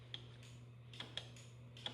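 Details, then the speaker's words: Rostra Gen 2 cruise control installed on a Hayabusa, during the setup test: sharp crisp single clicks at irregular intervals over a faint hum as the relay energizes each time the coil is triggered; normal relay operation. "we'll get deactivation and you can hear the relay clicking back here energizing every time the coil"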